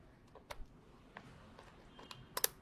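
A few crisp, dry clicks in a quiet room, sharp and clean with no chatter; the relay is switching as it should.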